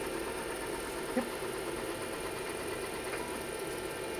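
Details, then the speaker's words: IBM PC 5150 hard drive during a diagnostic random seek test: fast, steady chatter of head seeks with a squeaky edge over a quiet hum; the drive works, but its seeks are noisy and squeaky. "random SS working I love that sound it's very squeaky"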